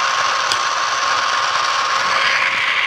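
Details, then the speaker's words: Used, returned chocolate melter on first switch-on: loud, steady, high-pitched whir with a rushing hiss and no speed change as the small drive motor spins aggressively; cause unclear. "Oh shoot, it's making noise. Why is it spinning so aggressively?"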